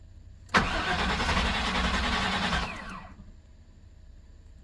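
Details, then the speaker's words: 1997 GM truck with the 5.7 V8, hard to start cold: the starter churns about two and a half seconds with no catch. Fuel pressure is slow to build from a weak pump, and a corroded frame ground is suspected. "yeah that fuel pump is pooched let see if I can get it to cycle again"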